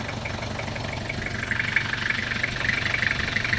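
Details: Toyota Revo diesel steady idle with light even tick after installing a brand-new AC compressor, dryer and belt, replacing one with a noisy pulley bearing; compressor now runs quietly, normal.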